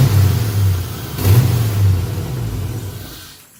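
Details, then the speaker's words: Nissan 240SX with 5.3 V8 swap, throttle held steady around 25%: revs swell and sag about once a second, then fade as the engine dies out; surging and stalling, cause undiagnosed. "so you get us so you can see what it's doing it's just revving up and then it'll die out rev up die off"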